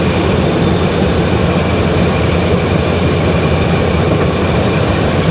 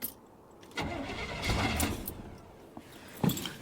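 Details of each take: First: V8 truck with shot rings and choppy cam, cold day, running dead rich and burning oil, revs brought up slightly: steady deep even rumble, no stumble or miss, sounds firing on all eight; normal running. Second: Suburban with shot rings and a brand-new starter, on a cold 28° morning. A short burst of cranking never catches and the engine won't fire, same as before. Crank no-start; the owner suspects the coil.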